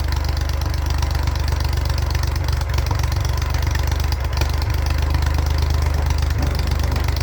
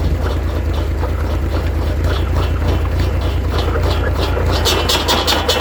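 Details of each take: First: 1942 Oliver OC4 crawler after years of mechanical work, finally running: steady even low thrum at idle, no knocks or misses; healthy. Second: 1942 Oliver OC4 crawler running a PTO-driven saw: loud steady engine chug under an uneven, loose rattling whir from the blade. The saw shaft bearing/bushing is worn out, letting the blade wobble badly.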